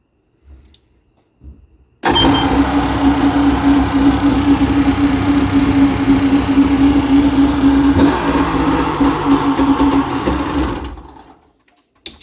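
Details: 2005 Yamaha GP1300R fuel-injected two-stroke jet ski, after swapping in a borrowed battery and gapping the spark plugs to 0.032 in stock spec, starts straight up and holds a steady, even buzzing drone about nine seconds without misses, then shuts off; running clean.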